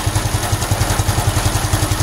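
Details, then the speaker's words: Honda Supra X 125 FI, warm, after fitting racing valve springs: steady idle thump about seven beats a second with metallic clatter; not the cam chain, source unknown, owner suspects the tensioner/magneto area, crankshaft or centrifugal weights. Abnormal warm-engine noise. "Wus. Oke, ada masalah ini. Oke. Masalahnya tidak ada di rantai gateng dan saya enggak tahu ini di mana."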